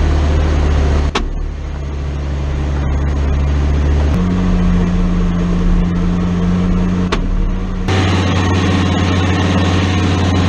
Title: 4L60E/Transfer case noise